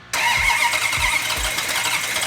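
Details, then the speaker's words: Plymouth Cuda V8 with carburetors, first fire-up after build with fuel and oil pressure; short crank, then loud, lazy, slightly uneven running. Ignition timing thought to be retarded, likely needs advancing. "Okay, hang on. I think it's retarded. Hang on. You know, it's very rare that when you fire one of these engines up, that right off the bat you have the timing set perfectly."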